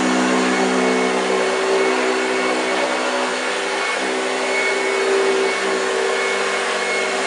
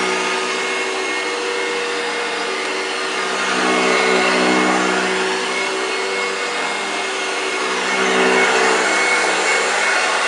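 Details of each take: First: 1965 Hoover Junior 1334A upright vacuum on carpet: steady even motor whir with low growl from the brush, no rattles; running well, sounds a bit dry. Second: 1965 Hoover Junior 1334A upright vacuum running on carpet. Steady high whir with a raspy, dry edge that rises and falls slightly. The motor sounds a bit dry yet performs without fault, cause unclear.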